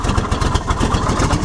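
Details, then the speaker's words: Junkyard-turbo 1969 MGB with new head gasket and fender-exit exhaust, idling: low lumpy idle with a hollow loose tapping on each exhaust pulse; the whole unsupported exhaust pipe rattles. "That whole exhaust pipe is going duk, duk, duk, duk, duk."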